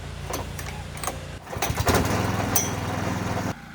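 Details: Replacement rented gasoline core aerator, small single-cylinder engine: catches after handling clatter, runs with a steady, even beat for two seconds, then cuts off; starts and runs normally, unlike the first unit.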